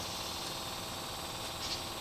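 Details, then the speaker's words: Kubota D722 diesel on a TG1860 tractor, about 833 hours, idle for over a year: with the key turned, an even high-pitched electric buzz of the fuel pump priming before the cold start. "that's the fuel pump then you turn it one position see the extra light went on"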